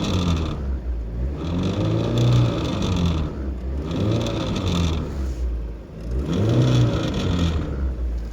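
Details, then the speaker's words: VAZ 2110 petrol engine revved up and down three times, raspy buzz rising with each rev from an unidentified spot; cause unknown. Buzzing noise when revving. "ВАЗ 2110 довёз газку. Что-то вот жжит вот тут."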